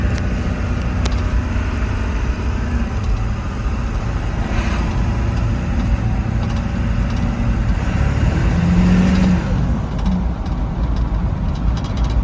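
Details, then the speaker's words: 7.3 diesel V8 first test drive after replacing bad IDM and injector harnesses: deep, even rumble pulling smoothly through light acceleration with road noise; all eight cylinders firing, healthy. "Sounds like a 7.3. Amazing."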